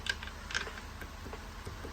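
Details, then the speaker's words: Rebuilt 1.80 planetary gearset from used gears, new bushings, same shims, turned slowly by hand: light, uneven ticking and clicking, notchy and rough, much noisier than before; owner suspects a mismatched gear or too-tight setup, unconfirmed. "it sounds like or feels like something is not mission right and it's clicking and all these are fairly loose"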